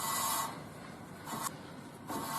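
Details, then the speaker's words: Wheel spun by hand with the car lifted in neutral and the brake pads removed, after a recent wheel bearing replacement: slow rasping scrape swelling and fading with rotation, louder at speed when driving; a dust shield bent during that job is rubbing the disc, and bending it away fixes it. "这个声音其实是这块铁片与刹车盘接触的声音，也就是说这块铁片已经变形了。"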